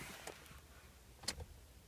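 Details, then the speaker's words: Toyota Matrix/Corolla (2003–2008) manual with the clutch not pressed and the key turned to start, giving a few sharp clicks with no cranking, no fuel pump hum and no light dimming; the clutch safety switch blocks the start. "if you're getting this situation then if you're in a manual transmission I would try troubleshooting the um this clutch safety switch"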